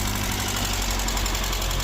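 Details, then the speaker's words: Saab 900 SPG with hybrid T3/T4 turbo, open intake, aftermarket exhaust, started on jump pack after sitting a while (probably about a year): fast light ticking over low steady idle, pacing engine speed; lifter tap. "You can tell she hasn't ran in a while. Got a lifter tap going on there."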